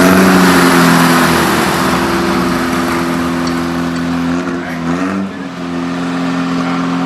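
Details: Rebuilt air-cooled VW Beetle flat-four during cam break-in at 2500 rpm for 20 minutes: a steady, even fast-idle drone with a slight dip midway and no knocks or rattles. Running smoothly.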